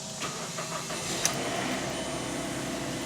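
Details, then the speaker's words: Mazda CX7 after EGR valve replacement for P0401 code, first start: brief cranking catches quickly and settles into quiet, even idle with no stumble or misfire; no check engine light yet, normal start. "we are off to a good start. I don't see a check engine light as of yet."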